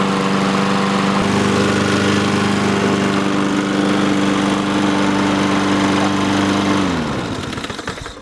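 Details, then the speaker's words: Free roadside Honda-engined lawnmower running after its fuel valve, previously off, was opened and choke used: steady, even single-cylinder drone at constant pitch before shutting down; runs fine. "cool that's sick it works"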